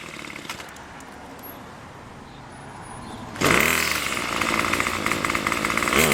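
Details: Craftsman Weedwacker gas trimmer, model 316.791191, MTD 27cc two-stroke with Zama C1U-P27 carburetor, after repair: fires sharply and settles into a steady, even, high buzzing idle around 2700 rpm, with no misses; runs fine.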